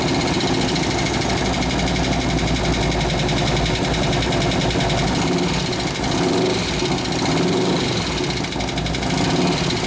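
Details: 2004 Harley FLHT touring, 88 Twin Cam, first start with fresh gas and new oil before cam and tensioner bearing repair: loud uneven V-twin lope with clattery cam-area rattle at idle; cause suspected, not confirmed.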